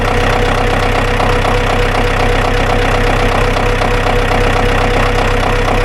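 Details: Ford tractor sitting for years, first start, throttle cables rusted and cut so set to lowest (idle) setting: loud, steady diesel idle with an even beat of about four per second and no speed changes; idling normally.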